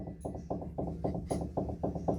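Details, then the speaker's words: 2011-2014 Hyundai Sonata 2.4L front end: worn sway bar end link rocked by hand gives quick, even clunks, about three or four a second; noisy over bumps, both links to be replaced. "you can hear that that's a little noisy she's going to hear that going over bumps so i'm going to replace both of those"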